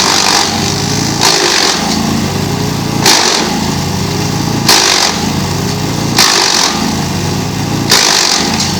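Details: GreenMech Arborist 130 wood chipper on dull blades: engine runs steadily with a hissing crunch about every one and a half seconds as wood feeds; slow chipping, reduced productivity but no downtime.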